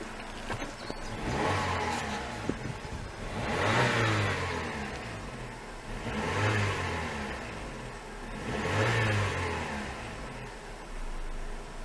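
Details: 2005 Suzuki Reno (Lacetti), D-Tech 16-valve engine with new idle air control, alternator, fuel pump and water pump, heard at the exhaust: three smooth free revs about three seconds apart, pitch rising and falling cleanly, no knock, rattle or squeal; healthy engine.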